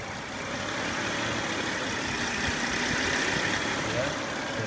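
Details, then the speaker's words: Honda Odyssey after replacing the noisy timing belt tensioner: steady, quiet idle with a smooth, even hum and no chirp, rattle or ticking from the belt area; normal idle after repair. "so replace that one and after replacing it it's what you can hear very quiet"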